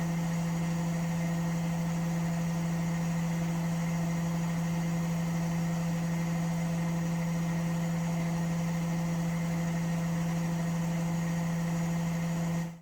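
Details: Washing machine spin with a steady motor hum at constant pitch, no knocking or banging from the drum; healthy, quiet spin. Its noise problem was traced to the chassis flexing and cracking at the shock absorber mounts.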